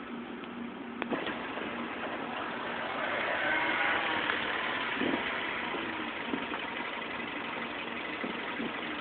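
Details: 2007 Mini Cooper: idle speed keeps hunting up and down, surging and sagging as if about to stall; rough fluctuating idle, cause not yet found.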